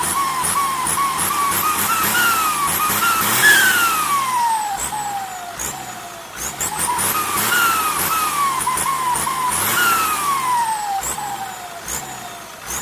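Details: Diesel with SK200-3 AR42 turbo: high whistle climbs as the diesel revs up and slides down as it falls, repeating each rev; loud turbo whistle.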